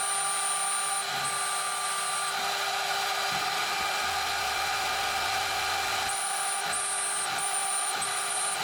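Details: DMC2 Mini mill during a light cut, part of tests in 6061 aluminum and cold rolled steel: steady high spindle whine with motor fan hum louder than light cutting chatter, no bogging or pitch drop; spindle barely loaded.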